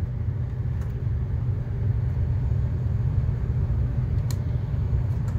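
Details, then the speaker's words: Gas furnace running: steady low rumble with faint shuddering drone as the blower wheel vibrates up onto the ductwork; no carbon monoxide detected. "you can hear the furnace is running of getting some uh shaking noise coming from the blower wheel uh vibrating up onto the um"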